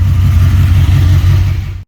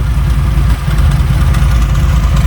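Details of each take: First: Jesse's Chevy C20 truck with built 408 small block (built for boost, turbo planned), idling after roadside tune from running badly: deep steady even rumble, no knocks or misses; running great now. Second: Chevy C20 truck V8, turbo, just fired up with only one spark plug in: steady idle with a slight stumble and a faint light tick from the plugless cylinder; misfire from missing spark plugs.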